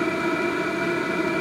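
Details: HCALORY 5-8kW diesel heater at full heat on a Bluetti AC180 power station via a 250 W driver, drawing about 56 W: steady whooshing blower with even combustion roar, no sputtering or pulsing; running normally.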